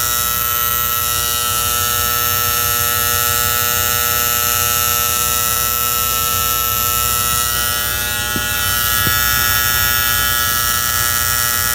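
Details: Antique gas furnace: a constant high-pitched electrical buzz with a steady hum underneath, coming from the magnetic diaphragm gas valve; owner suspects the spring-loaded plunger is chattering, unconfirmed.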